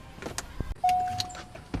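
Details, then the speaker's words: 1997 C5 Corvette, before installing a column lock simulator/bypass: at key-on a short electric whir for about a second as the steering column lock motor opens normally, no grinding, letting the wheel turn. "So when I put the key in and I turn it on, you can hear the column lock open up, so I can turn the wheel."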